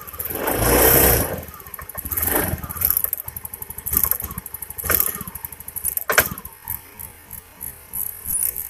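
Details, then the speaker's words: Honda Beat injection scooter misfiring badly (brebet): small single stumbles and uneven surges, pulses dropping out irregularly; spark arcs from the plug cap plastic to the engine, cap's metal clip missing so it doesn't lock, spark plug also damaged. "Kelihatan ada kelihatan ada percikkan api dari plastik ini yang menyambar ke mesin ternyata businya juga rusak"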